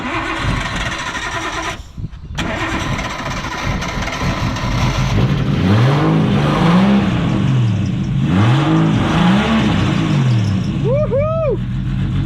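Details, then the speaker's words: Nissan Cefiro RB25DET straight-six, previously running on five cylinders from one cut wire; after rewiring coils, coil loom and igniter it catches and runs smooth and even, revs rising and falling cleanly. Normal running on all six. "That's 6. Yep. It runs on all 6."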